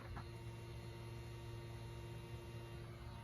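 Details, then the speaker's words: 2013 Chevy Tahoe fuel pump powered directly with battery power and ground during FSCM (P2635) diagnosis: steady, even low hum with faint whine from inside the tank, pump and module-to-pump wiring fine. "Okay, so I can hear that fuel pump working, which means that we do not have an issue with our fuel pump or any of the wires going from the module to the fuel pump."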